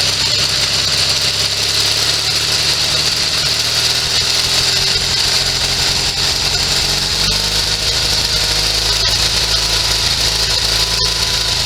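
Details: Sears SS16 garden tractor with Onan twin-cylinder engine, revived after sitting several years and run from a temporary gas tank; loud steady rough drone with no stumbling; normal running.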